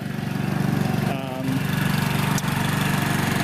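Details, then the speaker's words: Aged Chinese motor scooter idling a little high during servicing: sharp, regular puffing tick from an exhaust leak right at the exhaust port. "see you can hear the exhaust is leaking right at the uh right at the the um exhaust Port"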